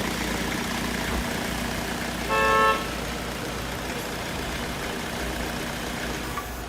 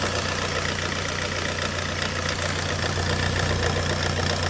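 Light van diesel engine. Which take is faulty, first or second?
second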